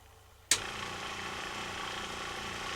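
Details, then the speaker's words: Replacement FlowJet RV trailer water pump, hooked up for a test before being mounted down: after a click it settles into a very quiet, even motor hum with no knocking or rattle; normal pump run. "Still gotta do mount it down, but got it hooked up just to test it. You guys gotta hear how quiet this puppy is."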